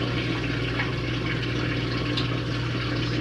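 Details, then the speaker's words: Ative washing machine during self-test, drain step: steady low electric hum with light water gurgle, even and without rattle, before passing automatically to spin; normal drain pump noise. "Tá soltando. Agora para passar para centrifugar não precisa apertar o botão. Ela só passa diretamente. Esse barulho é normal que ela faz."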